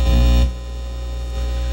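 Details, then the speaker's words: Dual CS430 turntable: loud steady low mains hum that drops and changes tone as the audio output cable is moved and ground removed; broken wire suspected in the output cable, ground fault, cable to be replaced. "It's humming, but not like it was."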